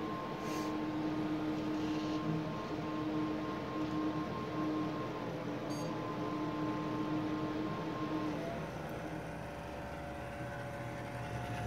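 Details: Corsair AF120 LED Quiet Edition 120mm exhaust fan, less than a year old: wavering whir and whine that shifts in pitch, heard only on boot-up and gone afterwards; bearing noise suspected.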